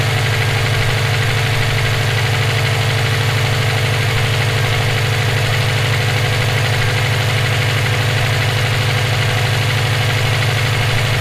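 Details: EJ257 at idle: a regular knock about three times a second rides over the steady engine note, present for about 17k miles since purchase; owner asks whether it is rod knock, a spun bearing or valve lash. Source undetermined.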